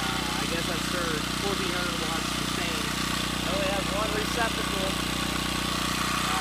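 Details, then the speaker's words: Small 1,800-watt generator, no load, running about an hour and a half: steady, even engine drone with no misses, hunting or surging, birds audible; quite loud but running well. "it's quite loud. Yeah, there's that thing. It's been running for about a half an hour."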